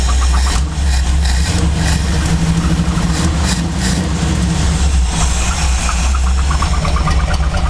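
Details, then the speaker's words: Chevy C10 truck V8, warm, idle after advancing timing slightly from too-retarded setting: deep loping rumble with only mild unevenness; engine that used to shake badly now shakes much less. "Now see, yeah, the motor used to shake like crazy. Now it's not really shaking quite as much."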